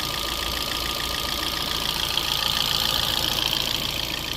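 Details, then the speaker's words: 2012 Fiat 500, unrun for roughly a year, running without its engine cover: steady fast idle with light even valvetrain tick and no knock; unknown internal condition (could contain metal) but running and not knocking; normal idle. "There could be metal or anything in it, but it's running and it's not knocking."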